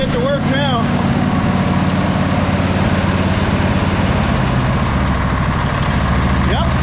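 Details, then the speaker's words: Sabre by John Deere twin lawn tractor after clearing a clogged carburetor port and a loose post: even, steady putter with both cylinders firing. Idle sits a little fast because the replacement carb won't settle fully, but it runs nicely. "But um this thing is running really nice now."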